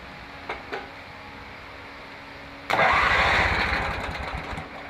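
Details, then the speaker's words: Mower brought in as a no-start, weak starter, after welding a paint-can lid over its blown-out muffler: a couple of clicks, then the starter spins the engine hard about two seconds without catching; cranks but won't start, no gas in the tank. "Yeah, that ain't working. Ain't got no gas in it."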